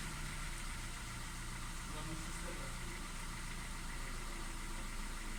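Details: 2010 Kia Ceed 1.4 MPI petrol idling with an uneven, stumbling beat and irregular low thumps; cylinder misfire from a failed ignition coil, fixed by replacing the ignition coil and spark plug.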